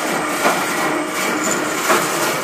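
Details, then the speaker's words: Valley Pioneer GF480 trommel dirt screener on a KB drive, sped up to 900 RPM drawing about 2 amps: steady drum and motor rumble with a dull clunk about every 1.5 seconds; something rubbing, cause unknown. "Obviously, I have to figure out what that clunk is. Something is rubbing somewhere."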